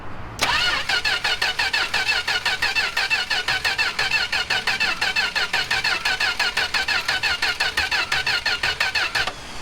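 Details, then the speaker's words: 1967 Plymouth Valiant slant six, long stored, carb clean sprayed in, cylinders fogged: starter churns at an even fast beat ten seconds, never catches; crank no-start, owner thinks no spark or fogging oil may be preventing it, unconfirmed. "No, she got no spark. Well, the other thing too is it might have spark, but we also fogged the cylinders."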